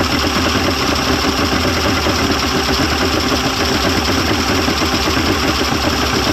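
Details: 1995 Mercury 200hp XR6 Blackmax outboard, after timing adjustment and clearing carb jets: even steady idle, no misses, knocks or hunting, settles and holds smoothly; runs much better than yesterday, normal idle.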